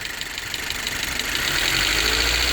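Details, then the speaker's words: 2017-2022 Honda CRV 1.5L idling, then revved, with the drive belt and tensioner removed: light, quick ticking over a smooth idle that firms up with revs is normal lifter and rocker noise. The earlier noise is gone, traced to the alternator. "ese es un ruido perfectamente normal del motor, de los tacos, de los balancines. Ahí no hay ruido ninguno. El ruido se fue."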